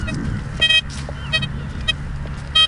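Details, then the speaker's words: Blisstool v3 metal detector on a ploughed field with the gain raised to over-amplify the ground: a steady hum broken by irregular bursts of chattering high beeps from ground noise; beginners are advised not to set the gain too high. "because I've amplified that ground some more, so it's just doing what I've asked it to do. Alright, but I would advise people, beginners, don't try to over amplify the ground too much."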